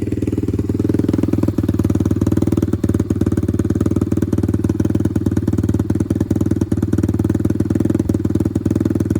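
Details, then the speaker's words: Apollo RXF 125 dirt bike on its stock exhaust, measured about 1 m from the pipe: fast raspy single-cylinder thump with sharp popping exhaust pulses; about 65 dB at idle, about 95 dB revving; too loud for track limits. "On est à peu près à 65 décibels. Et maintenant en accélérant. Voilà, en accélérant, on monte à peu près à 95 décibels."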